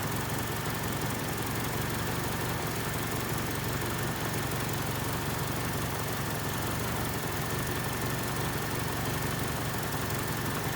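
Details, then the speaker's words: 1979 Honda Civic 1200 four-cylinder, warm after running about five minutes, before an ignition timing check. A steady, even idle with no misses or knocks; it is running healthy and the timing seems close. "it seems seems like it's pretty close though seems like it's running pretty good at whatever it's set"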